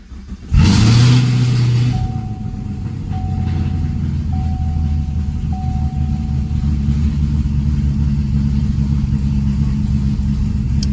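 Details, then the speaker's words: 2016 Chevrolet Camaro, 6.2L LT V8 with DOD delete: catches with a loud burst then settles into a lumpy idle that stumbles irregularly, engine shaking visibly yet scanner shows no misfires; lifter failure. "I definitely feel it. It's shaking all over the place. I don't know why there's no misfires detected."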